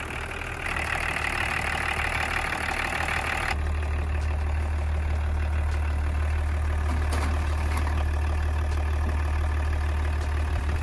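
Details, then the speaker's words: BMW diesel, about 30-year-old engine, that had stalled while driving and wouldn't restart, now running and warming: steady low clatter and deep even drone about three beats a second, no stumbles. Normal diesel idle. "самое главное послушайте как сердце реально для дизеля метан 180-ки работает для дизелей которого 30 лет работает замечательно как таракан такой небольшой скажет"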